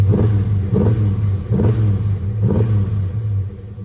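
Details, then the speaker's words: 1979 Chevrolet Camaro V8 on brand-new exhaust with Hooker mufflers and Flowmaster tailpipes, given a little rev: deep burble with four sharp throttle blips, clean rise and fall, no knocks or rattles; normal rev. "Ooh, that looks so good. Got brand new pipes all the way back."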